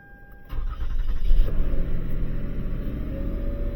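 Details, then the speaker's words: 2007 Lexus ES 350 with a no-start/not-charging complaint; alternator and battery were replaced a year ago. A short crank catches cleanly into a steady idle with no grinding or clicking, before a voltage drop test. The battery had simply drained over time, not the alternator. "So, the vehicle does start up, but we're going to be doing our voltage drop test."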